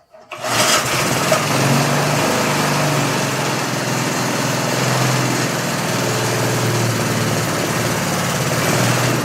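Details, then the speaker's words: 1979 reel mower with Briggs engine, no air cleaner, started on choke while priming; catches after brief crank, holds steady slightly lumpy fast idle with faint surge, running rich on choke. "Let's choke it. See what we get. It's going to take a little bit for it to prime itself."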